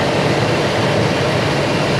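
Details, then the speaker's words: Old Ford F-250 V8 after new plugs, wires and radiator hoses, before burping the cooling system: even, steady idle rumble with no misses, ticks or knocks; running smooth, no coolant leaks. "Hey Mike, that's running smooth, man. Okay, no leak here."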